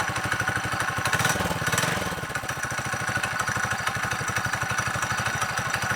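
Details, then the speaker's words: 55-year-old mini bike's small single-cylinder engine with a new custom undertail exhaust, a quick steady putter around three beats a second, crisp note with no misfires or rattles; runs clean. "Sounds better, looks better. Have to wait and see how hot this stuff gets."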